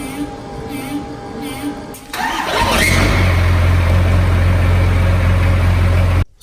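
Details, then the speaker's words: Ford F350 Cummins diesel at -20°C after starter problems: short crank, catches and settles into steady low even rumble with no starter grinding; truck starts, though owner suspects an electrical or sensor fault remains. "so we just got the truck running that's just my Dash can turning off"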